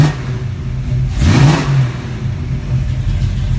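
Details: 1974 AMC AMX Javelin V8, Holley carburetor replacing original Carter: rumbling idle, one quick throttle blip that climbs cleanly and drops straight back to steady idle; normal free rev, healthy engine.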